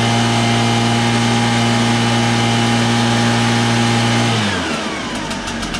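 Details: Backpack leaf blower two-stroke engine after scraping carbon out to cure lack of power: strong, even buzz at high revs holding steady, then dropping off cleanly as the throttle is released; normal running.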